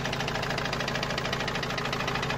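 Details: Opel Vivaro 2.5 diesel, parked two to three weeks after a noise appeared suddenly while driving loaded with goods: a sharp, hammer-like knock about seven per second, evenly spaced over the idle; an engine knock whose source the owners cannot find.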